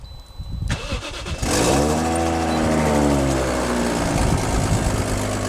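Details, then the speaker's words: Toyota Chaser JZX100 1JZ, two bolts blown out of turbo manifold after roll racing: after cranking catches into rough, raspy idle with puffing tick each firing; exhaust manifold leak. "so what happened is the bolts came out of the turbo manifold um it just shoot out two at raw racing that's what happens and that's why it sounds like us"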